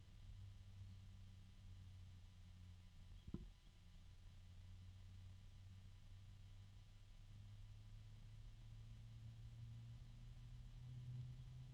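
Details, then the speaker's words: PC fan, possibly not at full speed (fan controller suspected), heard from the side opposite the intake: quiet steady low drone with held tones around 100 Hz, an unusual harmonic note, assumed due to fan composition; tonal fan noise, cause unconfirmed. "all right one more time yep there's a harmonic"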